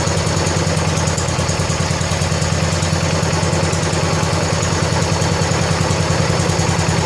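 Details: 1970 John Deere 140 H3 garden tractor single-cylinder, just after replacing a severely leaking blown head gasket: steady, quick putter at idle, even and quiet, no tapping or blow-by chuff; fired right up and runs good, burning off some oil.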